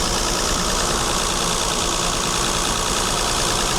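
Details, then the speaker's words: Mercedes W126 280SEL, about 190,000 km, after rebuilding the fuel distributor (torn cylinder-3 diaphragm): steady even idle at 920 rpm, no misses or hunting; engine mounts worn, body shaking, oil burning noted. "那你看我们看到它转速是920转速是920，回流量就是油箱状况，我们看到它回流量。"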